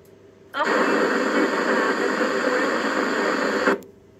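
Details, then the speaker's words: Club 2M amateur radio repeater: harsh three-second burst of hissing static that swamps the channel and cuts off; strange overpowering noise on transmissions, worse after the repeater has been up and in use a while; cause not yet found. "well as you could hear folks we definitely had some very strange overpowering noise coming in on uh some of the transmissions on the repeater especially after the repeater had been up and"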